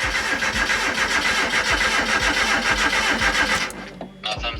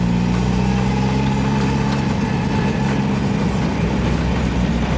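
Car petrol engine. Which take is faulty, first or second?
first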